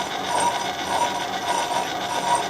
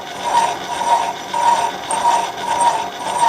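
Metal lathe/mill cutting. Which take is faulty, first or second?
first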